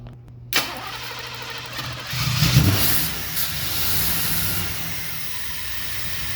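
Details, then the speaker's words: KITT car's engine, first successful start after cleaning out a blockage and plugging injectors back in: brief crank, catches at once, settles into a steady, even idle with no misses or knocks. "There she goes. It's running pretty good."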